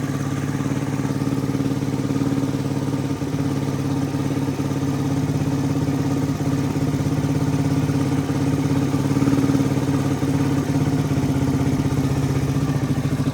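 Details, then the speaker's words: 1985 Suzuki DR250 single still warming up after revival, idling a little low. Even thumping idle with no tick or rattle, and the cam chain is not audible. Engine quiet and healthy. "Engine is really quiet. I don't hear the cam chain at all."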